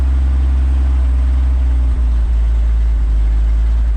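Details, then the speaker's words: 1962 Ford F600 warming up, choke partly on, temp rising to 115, about a gallon of fuel added: deep steady idle with occasional brief stumble; slight misfire at idle, cause unknown. "misfiring a little bit i don't know what that's about"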